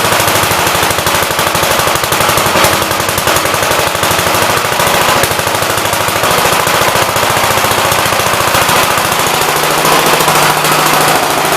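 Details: Single-cylinder engine "Big Blue" (53 L) run outside after a cylinder repair with a plate; fast, even sharp popping at a steady speed, fires cleanly, showing oil pressure though leaking oil at the oil pump; sounds better than ever, normal running.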